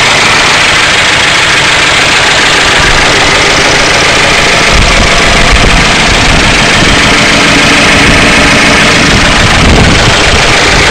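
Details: 1992 Ford Crown Victoria 4.6L V8: loud, busy idle with a rough, clattery edge; owner suspects low oil pressure and plans to replace the oil pump, cause unconfirmed.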